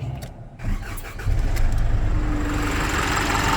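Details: 2017 Isuzu NRR diesel truck after fuel system priming: brief cranking, then quick catch and steady, even idle without hesitation; normal start.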